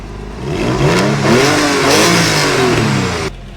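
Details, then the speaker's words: Porsche 911 (996) Carrera flat-six that sat for years and smoked heavily on first start, owner unsure whether a failed AOS or bore scoring. Crisp, even revs climb and drop cleanly with no misses, knocks or rattles; it fires straight up. "Other than that, it runs great. It fires straight up."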